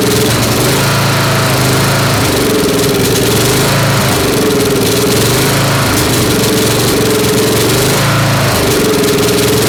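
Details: Snapper SR-series mower with 10HP Briggs & Stratton, stored 10 years, aftermarket Amazon carburetor with 0.030 in jet, full choke: uneven running, missing from the exhaust every couple of seconds, needs tuning.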